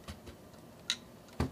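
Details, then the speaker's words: Indigo iBook G3 Clamshell, about 21 years old, powering on with chime and backlight: sharp irregular clicks about half a second apart, no steady spin-up hum; failing dead hard drive. "whatever it's a dead hard drive but at least the clam shells themselves are working"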